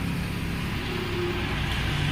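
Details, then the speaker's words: Vediam wet grinder after bearing change, motor run directly: steady, even hum with no rattle or knocking, running a bit faster and silent where it rattled before; normal running with healthy bearings. "டேரெக்டாக போட்டிங்கன்னா பாருங்கள், உங்களோட கொஞ்சம் வேகமாக ஓடுது, sound இல்லாமல் ஓடுது."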